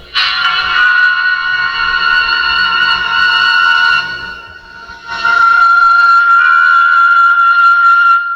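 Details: 1949 Silvertone Model 8004 steel-case AA4 radio with a floating ground, after restoration that replaced 3 of 9 out-of-tolerance resistors: clean, steady programme sound with no hum, crackle or dropouts; normal audio output.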